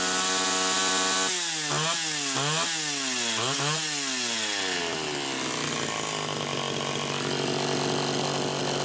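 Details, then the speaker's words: Super XL Automatic chainsaw, reported smelling hot, on ethanol-free TruFuel, almost warmed up: a few crisp blips then steady high rev, clean throttle response, no lag; healthy saw. "it's definitely almost almost warmed up I would say you'd have no problem cutting right now you wouldn't have any throttle lag"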